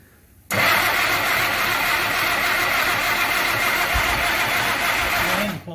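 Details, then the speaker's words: Engine on its first start after last-minute carb setup, choke open, fuel delivery not dialed in: steady cranking with rough, smoky coughs that never settle into an idle. Coughing crank, won't keep running. "We got it to run for like a good 10-15 seconds? but it's not staying running and we're not quite sure why."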